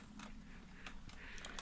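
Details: Roccat Skeltr keyboard, reassembled after cleaning: a handful of firm, crisp key clicks spaced irregularly in a quiet room, each sharp and solid, so the keys are seated properly.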